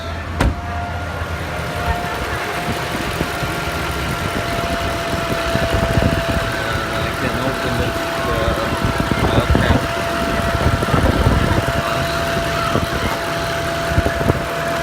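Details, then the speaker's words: 2012 Mercedes C63 AMG W204 coupé, M156 V8: a steady high whine over the idle holds one pitch as revs rise. It appears after hard driving and is gone after a 2-minute stop and restart; a PCV valve is suspected. "drive from the left side over here. It does not change with the revs."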